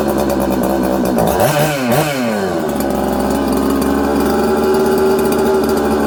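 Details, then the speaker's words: Husqvarna 266XP chainsaw, rebuilt, running lean and erratic: revs zing up, drop to 4000–5000 rpm, sag and climb unevenly, nearly dies on throttle, loads up with fuel like an air leak; crank seal leak already fixed, pressure/vacuum test passed; faulty carburetor. "it's all over the place it sounds good it's crisp but then it's not uh it's loading up with fuel like it has an air leak okay and what i mean by loading up you're over fueling the saw"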